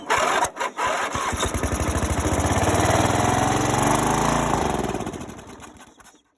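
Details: Greenfield Model 11 ride-on mower, Briggs & Stratton 11hp, after sitting 5+ years: catches after cranking, runs ragged for a few seconds, then fades and stalls; clogged carburettor idle jet starving it, needs a tune.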